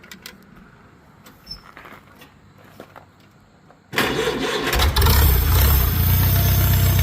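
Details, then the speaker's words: Small 10 horsepower tractor at auction, started with no choke: a few clicks, then it catches into a steady, deep, even beat; a little choke given when it wanted to die; clean start. "Yeah, she's just putting in a fur. Okay, I gave a little choke when she wanted to die, but that's just to get the juices flowing real good."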